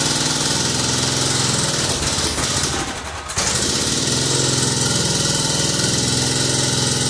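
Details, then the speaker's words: Kohler Command CH16S single-cylinder in a Cub Cadet 2166, very cold start (~30 °F) after new head gasket, crank seals, valve stem seals, exhaust gaskets, ignition coil and module: fires steadily, brief dip, then even strong idle; normal cold start and idle. "all right it runs good let's take it outside and let it warm up"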